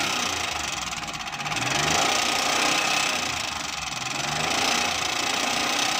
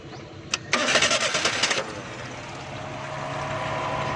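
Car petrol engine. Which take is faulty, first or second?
first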